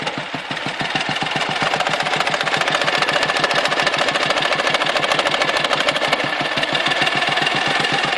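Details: Dnepr motorcycle engine: fast, uneven metallic knocking, about three beats a second, intermittent; when present, power drops and the carburetor spits fuel, and it vanishes before stalling or at high revs; intermittent knock, cause not pinned down.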